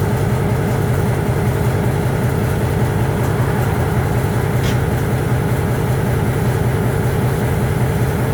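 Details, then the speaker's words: EMD MP15 switcher locomotive second unit, cold start on weak/dead batteries: heavy diesel turns over slowly in laboured low thumping rhythm near 78 per minute, smoking, eventually starts. "She got dead batteries. She's smoking. I gotta tell you, that was a cold start."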